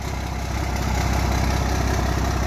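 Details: 12-valve Cummins dually with new fuel pump, original overflow valve reinstalled: smooth even diesel rumble at steady idle with no misses or knocks. Normal idle.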